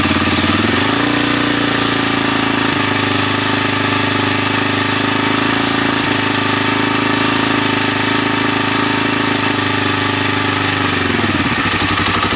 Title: DR-Z 250 K9 bad engine noise